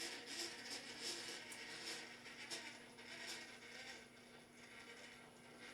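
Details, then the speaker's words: Redcat Ascent18 Scout II 1/18 4WD electric RC crawler with aftermarket transmission gears, crawling slowly: faint high whirring with light ticking; the transmission gears are incredibly loud, owner plans to return to plastic gears. "yeah my only problem with this build is those transmission gears being so incredibly loud I can't get over it"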